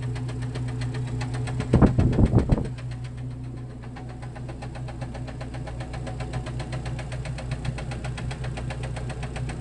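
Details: Jeep Cherokee XJ facelift, 2.5 L four-cylinder petrol engine, skirt broken off the piston in cylinder two: hollow, loose knocking about two to three times a second under a low idle rumble; piston slap.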